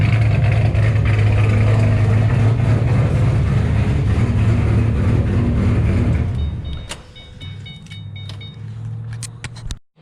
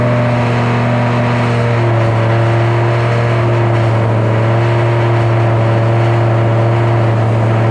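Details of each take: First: 2007 GT500 supercharged V8 with L&M NSR cams and a Venomous Tuning tune, after refueling following the first start. Loud, choppy lopey idle at an idle rpm the tuner set; it sounds healthy. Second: 2007 GT500 supercharged V8 on its first start after installing L&M NSR cams. A steady, elevated idle hum that never settles, from the initial Venomous Tuning tune; a later revision brought the idle down.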